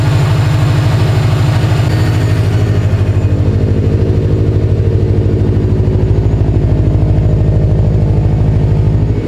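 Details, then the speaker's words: Newly bought Subaru STI with a possibly blown engine, first cold start: settles into a steady, even idle pulse of about three beats a second with no knocks or misses; a little noise heard right at start-up; sounds healthy. "Sounds good at idle though. It does. It sounds really good at idle."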